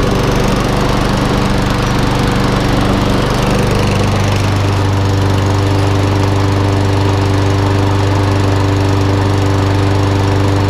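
Steady single-cylinder mower drone at an even pitch with no misses, stumbles or knocks; the engine is running healthy.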